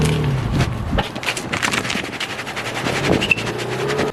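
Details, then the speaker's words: Nissan 350Z on its first drive after fitting a welded used open differential: a low engine rumble with light, uneven tire chatter and scrubbing while creeping out of a parking spot in a turn. "So I did notice pulling out of the parking lot, or the parking spot I have, you get a little chatter."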